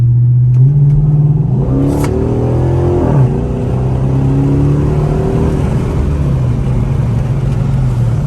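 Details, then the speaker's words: Straight-piped V8 Chrysler 300 after fitting a muffler/resonator, cabin recording under acceleration with windows up: deep, even rumble rising smoothly with throttle, still present but quieter, no drone or popping. "It's like it's still there, but it ain't as loud. It ain't doing all that farting like it used to. Like it used to. I can still hear it, but I don't hear no drone."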